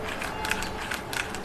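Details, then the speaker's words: Mercedes with chassis noise when steering, spring felt vibrating; the front strut top mount bearing, removed and turned by hand, gives a gritty, scratchy rasp in uneven bursts. Replacing the bearing cured the vibration; strut top mount bearing noise. "这个车主在打方向的时候啊，我把手放在这个减震簧上，明显的感觉这个弹簧在震动，所以由此判断，这个前减的压力轴承现在存在一定的问题。"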